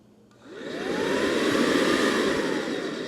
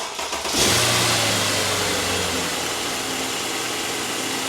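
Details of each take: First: Brand-new Mercedes M272/M273 electric secondary air injection pump, bench-tested before install for comparison with a worn one: brief rising motor tone, then smooth steady rush of air with no bearing whine; normal. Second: Mercedes M273 V8, 107,000 miles, cold start: harsh, high whirring bearing rasp over idle for about 50 seconds then stops; probably from the electric secondary air injection pump, not pulley bearings.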